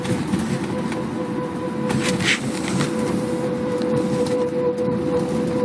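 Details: Car with a caliper already replaced, while driving: a steady rhythmic mechanical chatter with a faint hum, loud at slow and fast speeds. It stops when the brakes are applied, then returns. The source is unknown.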